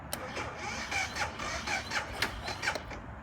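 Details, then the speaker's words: BMW G650GS, 1.5 years old, failing to start even after more than two days on a trickle charger; rapid uneven clicking about four times a second with no engine turnover, owner suspects a dead or weak battery. "not good it does not it does not do anything i'm gonna shut it down"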